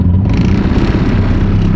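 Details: Subaru Forester on stock engine making about 800 hp, after a hard pull with oil light on; rough heavy low clatter pounding under a violently shaking engine; a rod likely lost, with a hole and oil everywhere.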